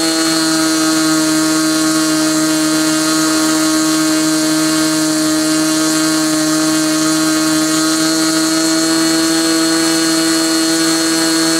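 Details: Glow engine on SIG Kadet LT-40 during break-in, restrained on ground, needle valve at about 1⅓ turns, possibly slightly lean at idle: high steady buzz, even pitch, no surging or sag; normal running.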